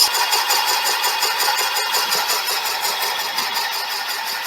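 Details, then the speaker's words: Boring out a cylinder bore with a brazed repair on a '59 flathead block, going to finished size. The machine strains, and the earlier intermittent cut becomes a high, steady hiss with an even pulse, cutting almost all the way round at the bottom. "the machine's not too happy with it with an intermittent cut that sounds almost like a complete cut down the bottom there"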